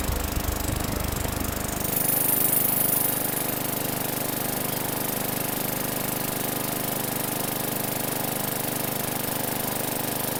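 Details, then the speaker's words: 2017 Bolens 500E 21-inch mower, single-cylinder, after sitting outside, non-ethanol fuel: catches on its own and settles into steady, even chatter about 210 beats a minute; runs cleanly, previously needed a starting-fluid shot. "I've had this happen before uh first start of the Season you give it a a shot of motivation they said they tried to start it wouldn't start but I motivated it just to help it along and it ran"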